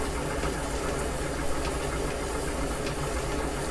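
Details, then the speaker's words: Pre-1920 flat-belt-origin gap-bed lathe truing a damaged main bearing bore in a Caterpillar D2 5J1113 block, final pass with radiused bit: smooth, even cutting hiss over steady motor hum, no chatter; normal light finishing pass. "so we're just about through we're just making some fine dust is pretty much all we're doing just smoothing it out that much more"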